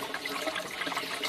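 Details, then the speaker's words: Barrel and bell siphon test: as water drops to the bell's slits it starts to cavitate, gurgling, splashing drain flow with air slurps, flow slowing as it sucks air; normal siphon break with air intake. "Now watch what happens when the water level reaches those slits. It's almost there. It starts to cavitate and suck a little"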